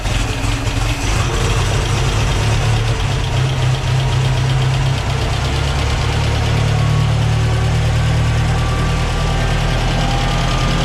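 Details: 1968 Ford 5000 diesel tractor, barn find sat 10 years, first run after restoration work: steady deep diesel idle with an even, solid beat, no misses or knocks; sounds good.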